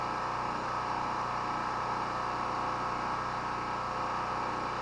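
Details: Honda-clone generator (made in China), first run in a month or more, about 3/4 of its gas a year old with Stabil added plus some fresh gas: constant hum at a fixed governed speed, no surging, misses or knocks; running normally.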